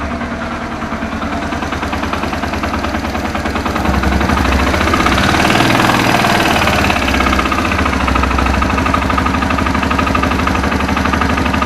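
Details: Suzuki Thunder 125 motorcycle, owned over 11 years, idling with a fairly regular tapping, two or three a second, louder as revs rise; abnormal internal engine noise, engine torn down after consulting mechanics.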